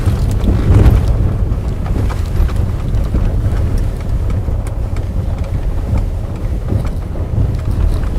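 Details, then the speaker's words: VW Polo Sedan, post-warranty, front suspension knocks since 10,000 km, driving over a rough stony road: heavy rumble with dull irregular thuds over bumps, car sways left-right; suspected steering rack and shock struts, rack repair planned next day. "вот слышите как громыхает и какая то вот раскачка появилась она вот влево-вправо машина качается"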